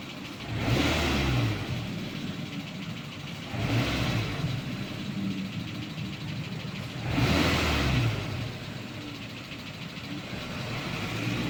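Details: 2010 Renault Twingo 2 with the D7F petrol engine, blipped three times: a light, fast ticking noise over the rising revs.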